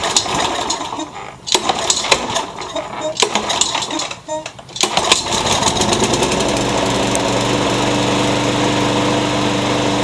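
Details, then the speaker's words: Curb-found mower, blade-brake kill switch zip-tied, started on carb cleaner; after handling clatter it catches and settles into a steady even drone, no misses, rear-wheel drive works; normal running. "Well, how do you like that? It sounds pretty good. And the rear wheel drive works too."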